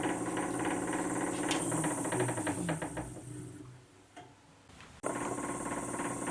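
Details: VB36 lathe headstock with a tick rising with speed, about three to four a second; owner suspected bearings, caused by pulleys out of line and fixed with a 4mm hex wrench.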